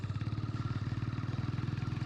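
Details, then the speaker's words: 27-year-old Hero Honda Splendor Plus on ethanol petrol: quick regular clatter about sixteen times a second over a low idling thump; owner says its second gear is faulty, making it rattle. "अब यह देखो दूसरा gear मेरी गाड़ी का खराब है। इसलिए खचर खचर करती है।"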